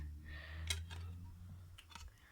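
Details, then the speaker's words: Xbox One S disc drive reading a dirty Xbox 360 Burnout Paradise disc; faint irregular clicks over a low fan hum as the drive keeps failing to read; disc drive clicking on a dirty disc. "somewhere there, it's got some dirt on it. So, now, if I insert it into the Xbox, it makes these sounds."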